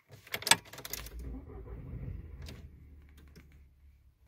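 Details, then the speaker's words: VW Jetta A4/MK4 (classic), key on with clutch pressed: only a few light clicks, then silence with no starter turning; sometimes the car goes totally dead; no-crank. "como podrán escuchar este es el único sonido que hace"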